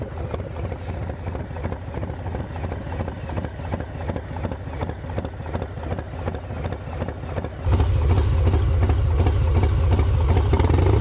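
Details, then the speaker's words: V-twin just fitted with an S&S 55mm intake manifold, pulled over on a ride: a loping idle, then a louder sucking roar as soon as a little throttle is given. The owner suspects an intake air leak or a loose manifold but is unsure. "so you can hear it as soon as I give it a little bit of throttle it starts to suck right there so I don't know maybe it's just the uh maybe it's just the intake cuz I could definitely hear it start to suck in there"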